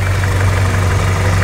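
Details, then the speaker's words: Toyota Kijang engine with distributor timing drifted from 15 to about 25 degrees retarded, before resetting: low, lumpy idle with uneven "blup blup" exhaust beat, no knock; ignition timing too retarded. "ditandai dengan untuk suara kanalpot juga ini suaranya tidak rata ya BL blup blup blup seperti itu yang menandakan memang untuk setelan pengapian tidak pas ya ini terlalu mundur"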